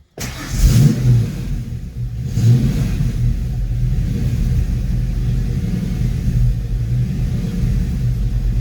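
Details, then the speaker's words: Foxbody Mustang V8 after GT40 tubular intake install, timing, TPS and IAC checked, no check engine light, fuel pressure about 43–44 psi; uneven lumpy wavering idle held up on slight throttle, stalls otherwise; rough idle, cause not found. "I just cannot get this choppy idle to go away"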